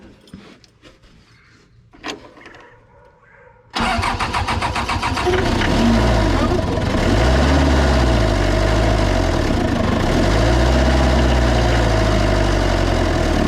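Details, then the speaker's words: Old 1990s Toyota SDK7 diesel skid steer, sat outside for years, started after electrical repairs: it cranks, catches, then jumps to a loud, fast, steady roar as if running away. Throttle can't be set and it won't idle; oil pressure good, cause unknown. "see there's just no way that can be right um there just no way because it's just way too hard to get that to get that throttle right"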